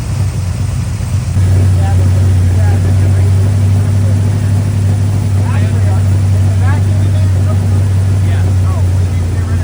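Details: Square body single-cab Chevy truck with a small block 350 V8, running after six months down following a starter-stud repair. It gives a deep, steady, even idle burble with no misses or pops.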